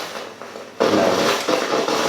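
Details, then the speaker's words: Hoover Steamjet steam mop: a quiet hiss, then a sudden loud buzzy rattle and slight vibration as the trigger is squeezed and the pump pushes water to the steam generator; a loud noise like this is said to be normal on first use. "that's the steam coming through you can feel a slight vibration when you squeeze this trigger and that's the pump working"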